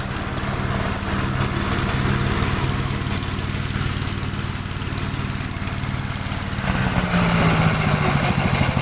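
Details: 1957 Gravely tractor taking up mowing load in wet grass: a steady, even single-cylinder beat holds speed with no misses or knocks. It pulls healthily with power to spare and runs normally.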